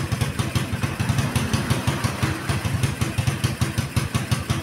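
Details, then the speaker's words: Keeway Superlight 200 motorcycle after carburetor adjustment lowered idle from 2,500 to about 1,750 rpm: even, low single-cylinder thumping with no hunting or misses; a normal idle. "that's it right there I took it from Two and a Half thousand RPMs to one thousand and three-quarter RPM and this is just the sound that I'm going for right now"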